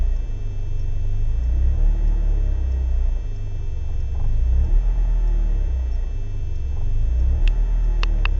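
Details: BMW E36 318is coupe, M42B18 engine: low idle that lurches and dips every few seconds, cold or warm, with constant smoke and higher fuel use; no leaks found, ICV and MAF already cleaned; rough idle, cause unknown.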